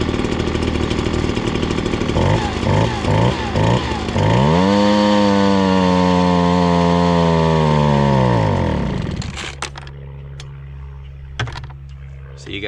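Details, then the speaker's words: Ryobi BP42 backpack leaf blower, warmed up: idles fine, revs to a high drone that sags and stalls when held at full throttle, bogs; lean high-speed mixture. "can see if you hold it down uh full throttle there it it starts to bog and if you just keep holding it it will uh it'll just stall out"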